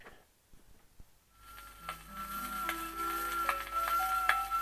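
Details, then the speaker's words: BSR turntable playing a 78 record: slow pitch waver (wow) once per platter revolution, likely from a very tight, stiff platter bearing. "Obviously there's a bit of wow."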